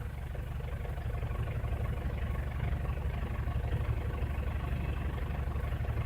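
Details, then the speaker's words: 2009 Ford Everest 2.5L common-rail diesel, low-power complaint, injectors serviced, no fault codes: low, even idle pulsing about twice a second with no misses, knocks or hunting, and runs okay when accelerated; normal diesel idle. "this engine is idling normally and even when you step on the accelerator yeah engine runs okay so oh sounds okay"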